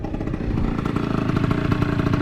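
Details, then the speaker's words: Aprilia SR 50 two-stroke scooter bought for 100€, ridden around 70 km/h uphill then downhill: loud, raspy buzz with puffing, spitting edge under load; loose exhaust pipe coming away and leaking at the cylinder joint. "J'espère ne pas perdre le pot parce que vu le bruit qu'il fait, je pense qu'il est potentiellement en train de s'en aller."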